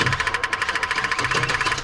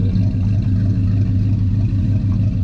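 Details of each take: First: 1984 Chevy truck with HEI distributor, dead 2 years, cranked on a jump pack after the fuel pump relay clicks on: slow, even cranking at about twelve compression beats per second, never firing. Cranks but no start from a failed ignition control module. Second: 1984 Chevy truck, revived after sitting two years, running with the air cleaner off: deep, even V8 rumble holding a steady beat with no ticking, knocking or misfire; it sounds healthy.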